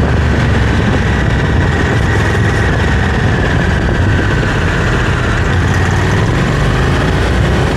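Heavy low engine drone with a thin steady whine above it; something sounds off under throttle but the source isn't clear.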